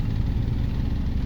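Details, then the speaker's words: 2010 Honda Civic, never fitted with gas, heard from the rear at the exhaust: low, soft, even idle rumble, quiet, no knocks or ticks; normal idle. "นี่เลยครับมีเสียงท่อนุ่มๆนะครับไม่ดังนะฮะคุณลูกค้านุ่มๆเพราะๆนะครับ"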